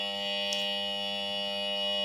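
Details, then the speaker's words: Refrigerator compressor forced-started with a capacitor, bypassing overload and PTC: steady loud electrical buzz, never reaching a running note, current staying high; compressor hums but fails to start. "Ya, tetap berdengung ini tidak kuat nyala tuh. Tetap tidak nyala, Teman-teman. tetap tidak nyala, amper tetap tinggi."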